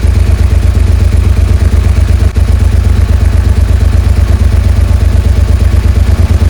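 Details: Suzuki SV650S V-twin on choke after fitting two new carb washers replacing a missing and a broken one: loud, even thump about three pulses a second, steady idle; 7,000 rpm idle fixed.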